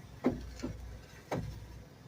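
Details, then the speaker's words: 2004 Toyota Sienna: sharp clunks from the front end when turning the steering wheel, caused by a worn upper strut mount plate to be replaced. "oday we've got a noise up front I'll show you that noise that we're going to be fixing so when we turn the steering wheel"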